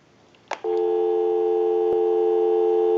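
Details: Repaired clear Trimline telephone, hung up and lifted again after a time-and-temperature test call: a click, then a clean, continuous dial tone for about 2.5 seconds. The line is working.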